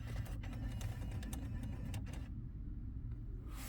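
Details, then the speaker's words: 2006 Honda Accord with battery dying after a week parked: reinserting the 10 A fuse sets the six-disc CD changer clicking and whirring through its stack on its own, a faint mechanical cycle behind low hum; changer on that circuit causing the drain. "that was a six0 CD changer making some noise so that's also on this circuit and that will mean that the CD changer is coming on and off by itself for whatever reason"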